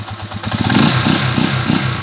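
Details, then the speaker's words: 20-year-old Honda TMX155 single-cylinder after rebuild: even idle and clean rev blip with no knock, rattle or rough running; now in two-week break-in. "wala na yung miaw wala na yung magaspang naandar Ayos na yung motor mo"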